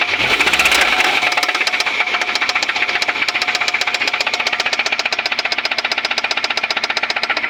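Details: Suzuki Grand Vitara engine running with a hard, steady metallic knock about three times a second: a severe internal engine knock.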